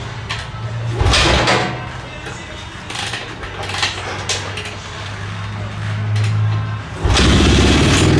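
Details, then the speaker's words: Honda XR650R single, owner's bike, after valve adjustment, starting after sitting two days: low steady thump settling to even idle, clean kick start catching in two kicks; healthy start and idle, owner hoping for steadier idle. "so that started good two kicks no show uh after sitting two days really so i'm happy with that um sounds good as always"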